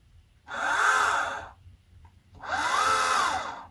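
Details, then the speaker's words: Orion XX14g GoTo Dobsonian telescope, 12 V DC supply, SynScan: two clean whirring runs about a second long, pitch rising then easing; elevation motor slews smoothly and quickly. "There's a lot of lag in that Azimuth motor. Yyou can hear the motor runs for about a second before you see any movement whatsoever,"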